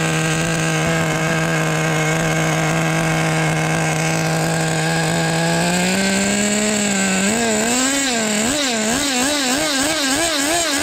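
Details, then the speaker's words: Team Losi XXX-NT nitro RC engine after tuning, with the idle set screw set a little low. It runs okay once the pipe spits out the oils. A steady high-pitched scream, then the note wavers and surges up and down, sounding rich and unsettled. "runs I will tell you um once the pipe basically just like spits all the oils out it runs okay"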